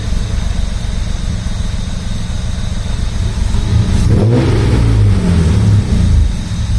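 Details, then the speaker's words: Rocketeer V6 in Mazda MX5 just after first start: high surging idle that revs up unaided; owner suspects air getting in somewhere and closes both throttle bodies and their adjustment screws to cut air; later idle drops to about 650 rpm. "I'd imagine the revs will probably come down a little, but not a lot. There's an air getting in somewhere, so I just have to track that down."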